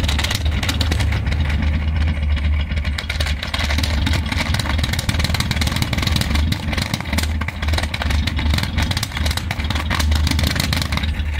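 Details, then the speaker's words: Nissan Platina with check-engine light on, stalling and slow to start in the morning, heard at the exhaust smelling of raw fuel: low rough idle with uneven beat and occasional stumbles; intermittent misfire at idle. "escucha una falla muy intermitente [carraspeo] y además de que en las mañanas ahorita que lo eché a andar tarda mucho en arrancar."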